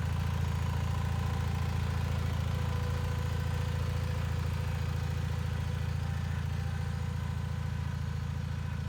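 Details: Bolens HT20 garden tractor on a test drive after repairing a flat rear left tyre; steady, even low beat at constant pace with no knocks or misses, engine running nicely and healthy.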